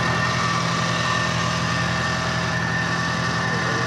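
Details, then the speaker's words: 2018 Infiniti Q50 3.0T idling with a thin, high-pitched whine and grinding over the engine's low hum in the engine bay; owner suspects the dealership is dismissing a real fault. "Is this typically how the engine is supposed to sound? It's kind of whiny."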